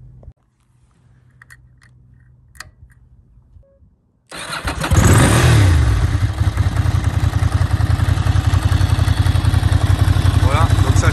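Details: Ducati 900 Monster V-twin after fitting prepared big-valve cylinder heads, high-compression pistons and new ignition coils: quiet garage, then fires, blips up and settles into a lumpy, even off-beat idle with no knocks or rattles; healthy engine.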